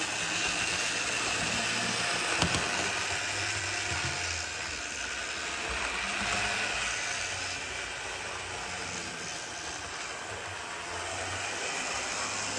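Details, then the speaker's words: Bachmann GP40 model locomotive after cleaning and lubrication, running laps on the track: a steady busy whirr with a fast rattle. Body shell resonance is amplifying motor and gear noise; it is still too loud. "that's not as quiet as it should be especially with all that Loop I'm going to run it in reverse for a few laps"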